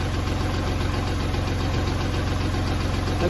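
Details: Kubota tractor diesel that wouldn't crank despite power and good fuses, now running: steady, regular idle clatter with an even beat, no stumbling or misfire; normal.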